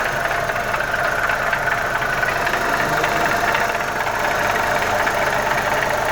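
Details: Audi 1.8 turbo idling with a light, fast, even tick over a steady idle. The owner isn't sure of the cause: the oil was said to be bad, and a PCV part was faulty, letting out air and oil. The ticking engine noise remains undiagnosed.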